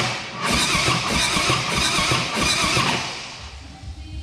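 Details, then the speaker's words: Rebuilt 2010 Harley Softail Standard, S&S engine: starter churns with uneven chuffing but never fires, battery also low; a rocker touching the rocker cover held the rear cylinder intake valve open. "Well, what happened was one of the rockers was touching the rocker cover. Yep. I was keeping the intake valve open on the rear cylinder."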